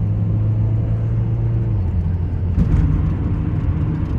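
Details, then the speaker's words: Audi A4 2.0 TFSI direct-injected, driving with five quarts of used 5W-40 oil in the fuel: deep, uneven rumble, engine note stumbling and wavering; rough running and misfires from oil-contaminated fuel. "uh oh there we go we're running bad we're running real bad we're getting misfires i hope i don't stall"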